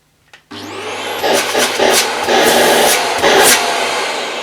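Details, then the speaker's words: Vax Air Revolve Pet bagless cylinder vacuum, switched on at the machine's on/off switch. The motor spins up quickly to a steady, fairly low-pitched whooshing roar with some handling and rubbing noise; it runs normally at full suction. "I must say it's not an unpleasant sounding vacuum it's a quite a low pitch"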